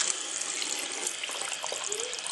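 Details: Cold water tap opened to fill a newly installed water heater tank fitted with SharkBite connectors, hot tap fully open: steady, even hiss and splash of water with no sputter or surging; normal, healthy flow.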